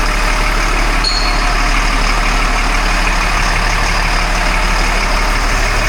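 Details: 1997 LMTV military diesel truck after full service and oil change, idling: steady low idle with an even beat and no knocks, misses or hunting, settling nicely; healthy idle.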